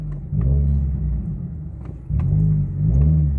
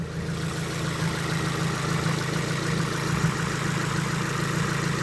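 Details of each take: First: Subaru WRX, runs well only on stage 0 tune; after driving into throttle, revs blip up then sag low and wobble near stalling when coming to a stop before recovering; cause unknown. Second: Subaru WRX at idle with a long-running fine-knock-learn issue. Steady, slightly uneven lawnmower-like boxer burble with a low thrum, no knocks or ticks standing out; sounds normal.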